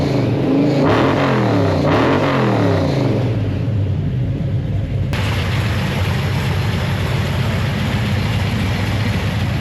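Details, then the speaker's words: Rebuilt engine with new Comp lifters, fifth engine install: steady, even idle with smooth exhaust beat and no lifter tick, some belt squeal; normal idle, quietest ever under the hood. "But damn, this thing has never been this quiet under the hood. Like way to go comp on improving your lifters. I mean like I don't even hear a lifter."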